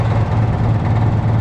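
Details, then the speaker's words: Semi truck diesel idling while air system fills tanks: steady rumble with even pulsing and ticking, no leak hiss; normal, no air leaks. "that's the air filling up these tanks no air leaks there that's fantastic"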